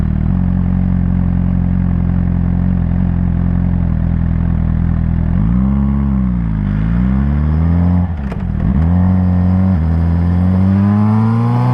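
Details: Suzuki GSR 600 motorcycle: even idle, then a metallic rattle comes in with each throttle blip and fades as revs drop; rattle on acceleration, cause unknown.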